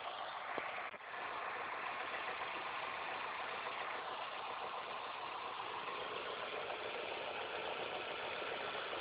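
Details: Engine idling after all belts, the timing belt and the tensioner were replaced: steady idle with a constant hiss and whirring from the belt area, an annoying abnormal noise whose cause is unconfirmed.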